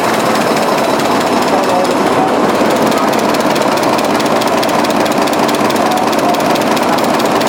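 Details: 1920s 45 hp General Electric genset, serviced after over 10 years unrun, governor being adjusted: loud, steady chuffing beat of roughly two per second, evenly paced without misses; sounds healthy.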